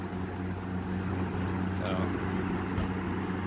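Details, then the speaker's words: Early-1980s Eskimo box fan, McGraw-Edison 115 V motor, after rebuild: after a couple of minutes running slowly and knocking it reached full speed with a steady low hum and even whoosh, knocking gone. Normal running. "so quick update it just finally kicked in after running for a couple minutes really slowly now it's going full speed and that knocking sound went"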